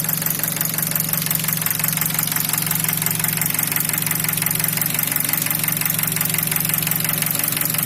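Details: Nissan Wingroad 2003 QG18DE petrol, automatic, AWD, at warm idle around 700 rpm (90°C) with lights on as load, with a steady metallic knock of roughly three beats a second; oil pressure 0.15 MPa.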